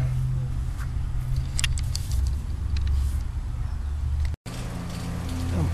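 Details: High-efficiency XP5 heat pump after reversing valve replacement, 4° subcooling, panel vibration fixed with armaflex tape: steady, even low hum from the compressor, no hissing, knocking or grinding; running normally.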